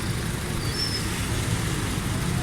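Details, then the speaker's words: 2010 Honda Civic Reborn after tappet adjustment: a low, steady idle with an even rhythm and no tapping from the top end. The engine runs smooth with no noise. "इन इंजनों की कोई आवाज़ नहीं किसी किस्म की आवाज़ में माशाल्लाह स्मूथ डी स्टील है गाड़ी किसी किस्म का कोई शोर नहीं"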